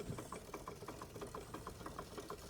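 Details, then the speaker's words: Restored Wilesco D32 twin-cylinder model steam engine with new control panel, low running pressure and temperature: quick, even chuffs about six per second, soft steady beat, no rattle; normal smooth running. "It always starts straight away. It always runs. It doesn't rattle. It's not rattly. Smooth. I don't run them fast, but it's smooth."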